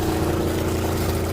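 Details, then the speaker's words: Fischer Panda diesel genset on a boat, revving right up to 120 as it should: smooth, even drone with steady low throb, no knocks or misses. Normal running. "oh it's already started perfect right to 120 like it should be"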